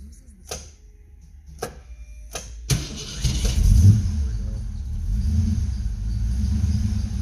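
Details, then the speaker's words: 1990 Ford Mustang GT 5.0 V8 after MSD coil upgrade: after a few starter clicks it cranks and catches into a low, lumpy idle with an uneven beat, still missing; plugs pulled showed one wet plug. "she goes starter still got a miss dang it must be another"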